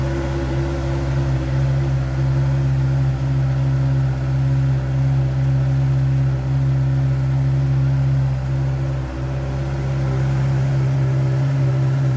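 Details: Heavy motorcycle after exhaust repaired, polished, painted and reinstalled: deep even exhaust drone at one steady pitch, no leaks, rattles or misses; normal idle.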